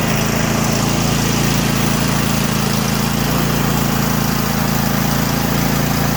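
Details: Craftsman T8200 Pro riding mower, 2016, 46 hours, 24 hp Kohler Elite KT735-3068, after carburetor repair and flushed fuel lines: steady, even single-cylinder drone with no surging or misses; normal running.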